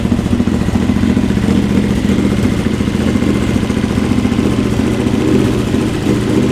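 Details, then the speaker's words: Honda GL650 first start after full rewire, stock headers with crossover into a merge and Cone Engineering muffler: steady even thump with crisp exhaust note, no misses or knocks; normal running. "it's probably good for the first start the smoke it's baking the paint onto the pipes and the heat wrap and whatnot this sounds really good right"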